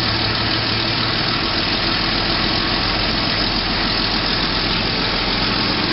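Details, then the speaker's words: Gordon Bennett rally car after starter motor work: fast, even whirring drone with no slowing or stumbling; the starter spins the engine briskly at a healthy cranking speed. "see it's turn yeah it's turn pretty quick all right that's that's what you need"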